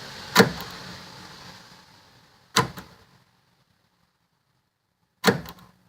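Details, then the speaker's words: 1999–2004 Jeep Grand Cherokee WJ rear hatch (tailgate) lock after replacing the actuator motor 5018479AB that had been grinding; three crisp single clunks a couple of seconds apart, no grinding or drag, sounds much better: normal lock actuation. "sounds much better"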